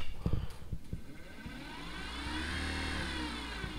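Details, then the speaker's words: Minn Kota trolling motor at speed 10 after prop replacement and skeg/motor tuning (previously vibrated above speed 5, rocking the boat): steady low electric hum with only a faint light rattle left; running far smoother. "oh this way better than before go again yeah it's way better than before i mean before it was right the whole boat rattled"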